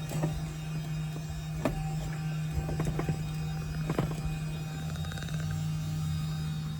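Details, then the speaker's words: Audi A4 2.0 TFSI fuel tank pump, sending unit removed, jumped straight from a car battery to drain the tank for an ALH 1.9 TDI swap: steady low electric hum, pump spins but moves no fuel; owner suspects the fuel level is too low. "Is it moving fluids? It is not moving fluids. Interesting."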